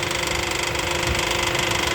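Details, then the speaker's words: Car idling with the A/C engaged: fast, even knocking ripple over the engine hum; a shop condemned the A/C compressor, and the noise is said to be the A/C compressor bearing, unconfirmed. "quando ele liga o ar condicionado faz esse barulho ó o barulho aí ó vai ligar o accionada ó olha só o barulho do rolamento do ar"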